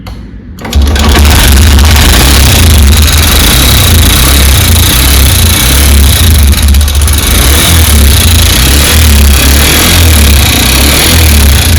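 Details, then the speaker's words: Honda SP125 BS6 motorcycle at about 7 km, idling: loud, uneven ticking knock over the low engine beat, unlike piston noise. On teardown the rocker arm roller bearing was found broken. "कुछ टूटने फटने का इतना खराब आवाज होहा इन पिस्ट का आवाज होता है तना आवाज नहीं होता य कुछ अलग ही आवाज हो रहा है"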